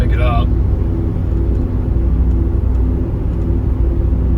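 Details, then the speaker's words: Chevrolet Tahoe at steady road speed before front differential rebuild: light, even whirring or whine over road rumble from the front axle; failing front differential bearing. "there's just kind of like a whirring or a light whining noise coming from the front"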